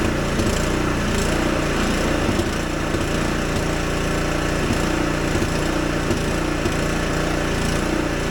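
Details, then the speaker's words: Husqvarna ST 124 24-inch snowblower, 212cc engine at steady high revs: surging with a ragged uneven beat and popping sounds; factory set very lean, clogged carburetor jet. "And I'm going to start this engine up, and you're going to notice that there's going to be some surging. Absolutely ridiculous. And there's some popping sounds coming out of it."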